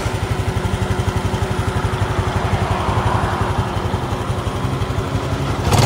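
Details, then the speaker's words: Honda Dash 125 FI after overhaul at 126,000 km (timing chain set replaced), idling: even beat with a faint light tick on top, not loud; owner says the tick is louder when cold; cause not pinned down. "Bunyi okey cantiklah. Ada bunyi sikit kan. Tapi bunyi tu tak kuat sangat. Kalau dia sejuk kuat bunyi dia."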